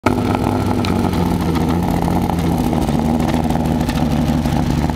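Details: Mazda MX-6 LS misfire: rough, uneven running with irregular stumbles and pops at low rpm. Spark is really weak. Plugs and wires seem OK, so the owner suspects a bad distributor. The misfire calms and sounds almost normal at high rpm, which is not reached here.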